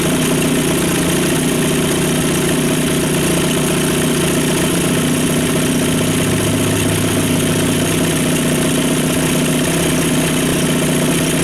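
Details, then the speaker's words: Two-stroke outboard at idle after fuel system refresh (carb cleaned, fuel pump replaced, bad fuel flushed); previously would not idle: now steady, even idle with no misses or surging, smoother than ever. "okay so I'm not going to argue with that that's smoother than she's ever idled"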